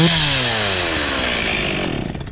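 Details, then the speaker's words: Stihl MS 260 Pro chainsaw after carb tuning: drops cleanly from high revs with smooth falling pitch and only slight top-end burble (four-stroking); running well, diaphragms possibly dried out but working. "It's got the little four stroking going on at the end on the top end. So, I think we're going to be good."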